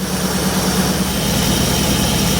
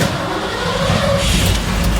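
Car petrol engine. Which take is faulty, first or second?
second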